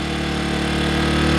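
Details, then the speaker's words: Earthquake IG800W inverter generator, replacement unit with vacuum leaks fixed, started cold on one pull without choke, eco off; steady even idle with constant tone, no rod knock or rattle. "no rod knock noise as you can hear no rattle"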